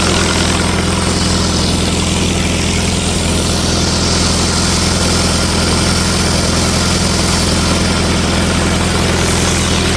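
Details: 1964 LeRoi 125G1 trailer air compressor, no muffler (straight pipe), run with the output wide open so pressure stays low: loud, steady low throb holding an even beat without stumbling; runs normally.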